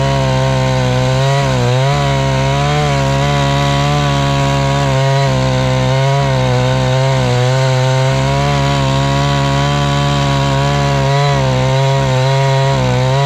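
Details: Husqvarna 268 chainsaw, after repair work for a complaint that it stalls once warm and won't restart (air intake checked, a part replaced): strong steady buzz dipping briefly as the chain bites, recovering at once, no stalling; running healthy under cutting load.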